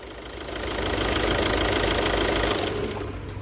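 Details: 2012 VW Jetta 1.6 diesel after repair: engine fires and settles into even clatter with no starter grinding or whirring after catching; normal start and idle.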